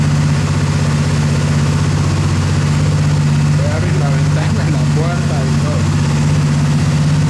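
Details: Motorcycle, after repair of a starter solenoid that clicked without cranking: a steady, even idle at about four beats a second with no misses or clatter; the engine idles cleanly.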